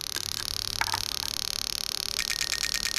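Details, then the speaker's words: Toyota Soarer/SC400 1991-94 V8 on a bench test of a new automatic gearbox harness; injector 3 gives a quick, steady train of evenly spaced clicks, firing normally. "So starting from this side, obviously injector 1. You can hear that clicking away."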